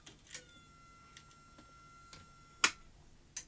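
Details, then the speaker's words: Sony SL-C9 Beta video recorder, non-working, at first power-up: a few relay-like clicks, then a thin high steady whine for about two seconds, indicating power supply problems; a donor unit's power supply may be used. "it clearly has power supply problems i don't know if you heard it was making a sort of whining noise"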